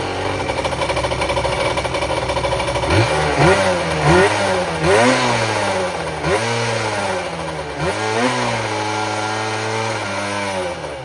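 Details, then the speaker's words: 1994 Kawasaki 550SX stand-up jet ski two-stroke, fired up after refitting the exhaust pipe and water box: blips up and drops back in uneven surges, then hangs at a ragged idle; it started dieseling, running on by itself. "As you guys just saw, it started dieseling a"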